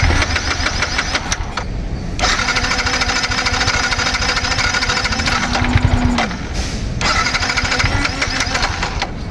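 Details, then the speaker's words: Yamaha MT15 that had sat unstarted for a long time, with a weak Flipkart battery at 12–13%: the starter grinds in long bursts but the engine never catches, with light smoke from the silencer; the owner suspects a loose battery bolt. "பாருங்க எவ்வளவு நேரம் try பண்ணிட்டே இருக்கேன்னு பாருங்க start ஆக மாட்டேங்கது."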